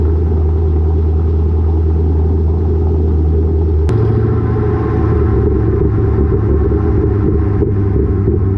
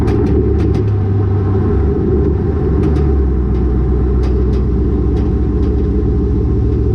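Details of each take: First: Lowered car (rear coilovers) with Borla catback, after a header-wrap fix on the over-axle pipe: steady low road rumble under the car, with no thuds, knocks or rattles; the exhaust no longer hits the axle. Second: Car with a Borla catback exhaust and lowered rear coilovers, recorded by a GoPro underneath while driving. Steady road rumble broken by sharp metallic clacks on each bump as the exhaust slaps the rear axle.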